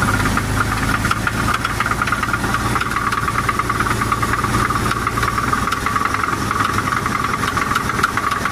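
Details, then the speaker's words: Chevy S10 4x4 idling steadily with a rapid, uneven metallic knock from the bottom end; the owner suspects a worn rod bearing (rod knock), but this is unconfirmed. "I told Roy it's not a r i mean got me it's sounds like a rod damn right it sounds like a rod"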